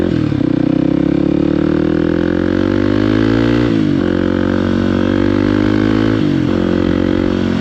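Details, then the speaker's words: KOX 300 SM motorcycle under way, upshifting and downshifting. The engine note climbs, then dips cleanly at each shift about every two to three seconds, with no clunks: smooth, healthy gear changes. "It sounds smooth, right?"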